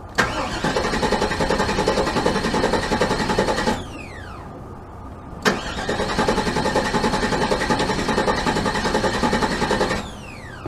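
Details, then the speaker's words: 1998 GMC Sierra pickup with fuel pump audibly running: two spells of steady starter cranking at about two and a half turns a second, engine never fires; ignition control module and coil suspected, not confirmed; crank no start. "I got a crank, but no start. So a whole nother problem."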